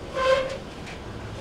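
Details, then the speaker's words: GE dryer DVLR223FT1WW: high shrill squeal coming and going with drum rotation while running, from a worn rear drum bearing (part WE3X75). "all right uh we have a GE dryer and the complaint is that it's making a squealing noise as it's running"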